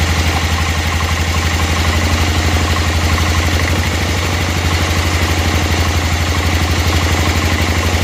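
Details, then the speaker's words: Barn-find 1988 Club Car golf cart, 8.5 hp Kawasaki with homemade exhaust: steady, even low thump about four beats a second, no misses or hunting; clean idle, idle speed still to be lowered. "sounds pretty good if we drop the idle down more than that which we will um we'll need to set that again"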